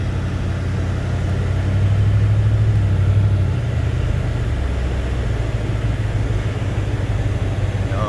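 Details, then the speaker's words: Maiden drive home of a car rebuilt from scrap, check engine light on (owner guesses old gas), shift to second feels weird: deep raspy engine drone swelling briefly, the already-known exhaust leak. "you can hear it. There you go. You can hear the exhaust leak right there. But we already knew about that."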